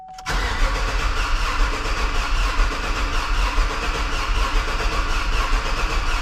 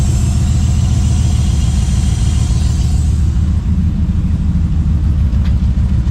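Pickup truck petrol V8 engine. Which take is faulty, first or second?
first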